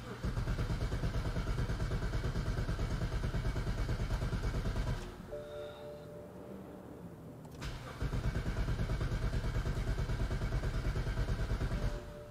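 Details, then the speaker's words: 2010 BMW 535i xDrive wagon (E61), auction car with mechanical loss, tank near empty, 2.5–3 gallons added: even cranking about three beats a second in two bursts, never catches. "it doesn't and I heard the fan turn on which is not a good sign"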